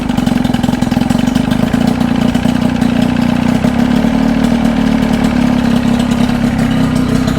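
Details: 1979 Evinrude two-stroke outboard on a 1972 Glasspar boat, finishing touches for the season: steady, even two-stroke buzz at constant idle with no misses or knocks; running smoothly.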